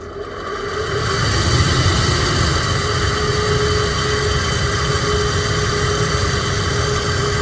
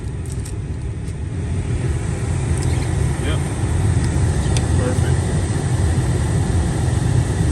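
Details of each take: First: Chevy Suburban/GM truck blower motor, in passenger-side housing, making noise and performing poorly: steady rushing whir with faint hum, sluggish and rough on high, about half normal speed; worn motor replaced. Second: Chevy Suburban blower motor just replaced after the old one ran noisy and at half speed. On high it gives a steady, even rush of air, quiet, with no whine, rattle or ticking.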